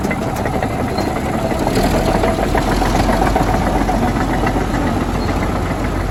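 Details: 1951 D8 2U dozer diesel, sitting in a barn since about 1990 with the big motor once stuck, running on its own power for the first time since: a steady, deep chugging clatter at an even level throughout, running normally.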